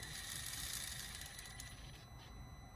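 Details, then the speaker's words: MA-020S SP chassis RC car: harsh gritty grinding over the servo/motor whine at full left steering lock; owner suspects the front swing arm grinding against the front end or differential, cause not yet found. "locks up I mean you can hear how loud that is so either way something's going on on this side I'm gonna have to take a look at that"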